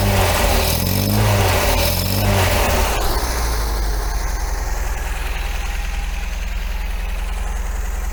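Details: 1980 MGB engine after new spark plugs and tappet adjustment, not yet warmed up, carbs suspected well out of balance; blips then settles to a mostly steady idle with an occasional uneven beat, still misfiring but much improved.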